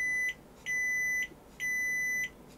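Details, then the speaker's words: Sony Super Beta SL-HF600 NTSC Betamax (711B2 deck) record prevention switch tested with continuity meter: three even high beeps, steady with no dropouts; switch makes reliable contact, unlike cassette down switch needing contact cleaning. "just checking the cassette down and record prevention switch this is uh record prevention"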